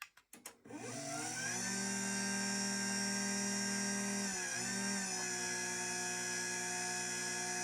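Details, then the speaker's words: LiftMaster 87504-267 belt-drive garage door opener from 2021, fitted with factory-revised foam pads plus one extra: clicks, then a steady smooth high-pitched motor whine, no plastic buzzing; running normally. "Definitely has a high pitched whine to it, but I like I said, I'd rather hear that than the buzzing of the plastic that would sound like a 90 series Craftsman"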